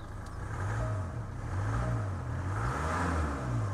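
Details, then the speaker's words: Range Rover Evoque diesel, bought cheap at auction, near-empty fuel: steady idle with even low beat and light clatter after cold start, no knocks or misses; sounds pretty good for an Ingenium. "that sounds pretty good for a ingenio"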